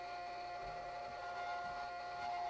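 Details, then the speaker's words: Challenger 357 air rifle after power valve upgrade, filling with valve just cracked open at 3100 psi; thin steady hiss with faint high whistle as air slowly squeezes past the fill check valve; normal slow fill, no leak. "So I've got this just opened a bit. You can hear it slowly squeezing in."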